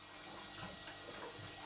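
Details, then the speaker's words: Large model showman's steam engine running steadily: a soft, irregular gurgle with light ticking, which is normal; the crankshaft-driven water pump is returning water to the tank through the open bypass. "gurgling noise that you can hear is the crank shaft driven water pump returning the water back to the tank because the bypass is open"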